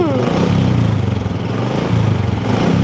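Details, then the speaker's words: Honda Supra 125 motorcycle lacking power, topping out at 100 km/h, with low compression; steady low idle rumble with a faint whirring chatter on top from an over-tight cam chain. "itu suara ciri khas satu dua lima khas Ya ini suara rantai keteng yang kenceng anak ketangnya kenceng"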